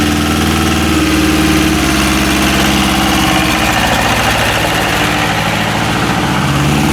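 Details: Westwood lawn tractor with Ruggerini twin-cylinder air-cooled diesel, previously hydrolocked, after repair with new starter motor: steady clatter with even firing through idle and light revs, no knocks or stumbles; running healthy.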